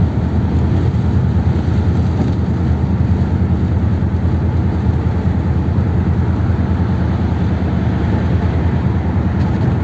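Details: 1957 Ford Thunderbird V8 driving after reverting 30-year-old mods to original parts: road drone under load with lumpy stumbling beat and skipped pulses; misfiring and surging badly, owner suspects flooding again.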